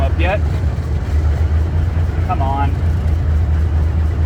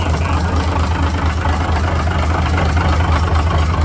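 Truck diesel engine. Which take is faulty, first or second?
second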